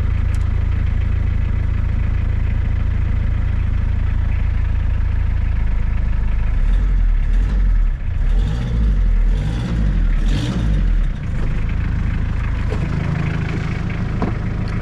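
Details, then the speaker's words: Suzuki Samurai with Isuzu diesel, long non-running, first cold start after six or seven seconds of glow plugs: deep, steady diesel clatter and even low rumble with no misses or knocks, very little smoke; sounds tight, normal cold-start idle. "really doesn't smoke very much at all it seems like it's nice and tight"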